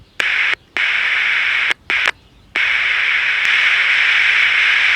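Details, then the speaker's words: Philco T66 or Zenith Royal 80 pocket AM transistor radio under repair, oscillator running at the low end of the band and the volume control bypassed: a steady hiss cuts in and out, no station tunes, and the signal tracer finds no output from the first IF transistor. "but it's not tuning got the signal tracer on it i know it's junk now but i'd like to see it work"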